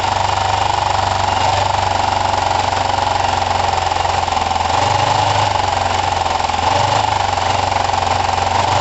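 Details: Kawasaki ER5 twin, after carb float height work, with good spark on both cylinders and new coils: lumpy idle whose beat swells and sags every couple of seconds, with spitting. The owner suspects the carbs; it seems slightly better but not perfect.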